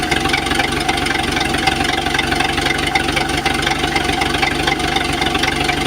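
A steady idle with a faint, uneven tapping running through it, roughly four a second; a knock at idle, cause not yet clear.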